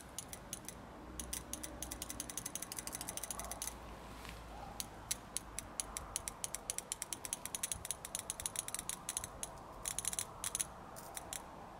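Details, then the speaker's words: BMW E30 petrol injector, previously stuck open and flooding fuel, after it was tapped and pulsed with voltage: crisp sharp clicks in quick bursts with quiet gaps, snapping open and shut properly. "Во! И сейчас прям слышно, как она хорошо срабатывает."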